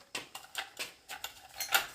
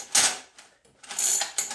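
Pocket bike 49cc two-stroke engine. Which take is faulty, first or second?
second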